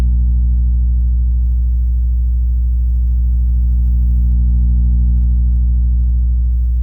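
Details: PA3S speaker playing a 60 Hz sine wave at different volumes: a steady low hum with a rough, pulsing buzz at roughly three beats a second; the speaker is distorting, cause unknown.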